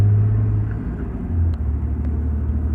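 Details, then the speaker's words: 2017 Cummins with G56 manual, Valair organic dual-disc clutch, after swapping ATF+4 for 7 quarts of Mobil Delvac 50: steady low drivetrain rumble while driving and lugging, barely any gear rollover rattle; gearbox quiet and healthy. "hear I can barely hear any gear all over this with I get the fan off the radio off"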